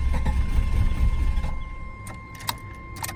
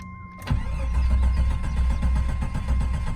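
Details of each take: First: 1988 Jeep Wagoneer XJ with automatic overdrive transmission, long sitting: starter cranks, engine catches briefly with a rising surge then stalls within a second; failing fuel pump gives only enough key-cycle prime to light it off, though engine sounds healthy and charging. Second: 1988 Jeep Wagoneer XJ with automatic overdrive transmission, long sitting, fuel pump shot: brief crank catches and settles to a smooth, even idle on prime before stalling; engine sounds healthy, oil pressure about 20–40 psi, charging.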